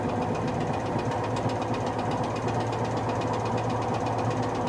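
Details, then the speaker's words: Whirlpool SCW1112 washer on a heavy-items cycle, before repair, also with belt slip: fast rough clatter of two or three taps a second over the spin hum once past about 500 rpm, from very badly worn drum bearings. "when you pro once it gets to like 500 rpm or more you'll hear it clattering and that's when the berries get really bad now they're starting to bang"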